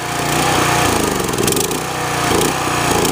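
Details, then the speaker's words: Generac pressure washer engine, throttle turned back up to max, choke pulled out: rough, lumpy beat dipping and picking back up; the choke works properly. "We'll pull a choke out. Choke works great."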